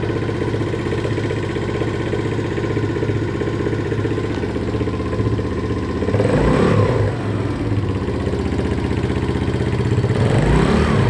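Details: Viper ZS150J motorcycle engine: steady light tapping about four per second over the idle, still present through a brief throttle blip; valve knock from excessive valve clearance.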